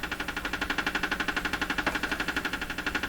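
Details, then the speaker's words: Canadian Westinghouse Model 684 tube radio under repair, not working: sharp, even ticking about four per second over a faint hum from the set, which is household interference from an unidentified source. "So this ticking sound you're hearing coming out of here, that's interference in my house from a source I cannot identify, which drives me nuts regularly."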